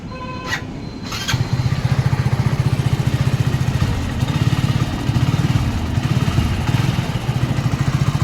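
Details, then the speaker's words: Hero HF Deluxe BS6 motorcycle after self-starter service by mechanic: brief click, starter spins, single-cylinder settles into steady even putter, restarted once more; self-start and idle normal. "जैसे कि ये चालू है एक बार और बंद करके चालू करके बता देता हूं मैं आपको यह देख सकते हैं आप एकदम गाड़ी रेडी है चल गई है"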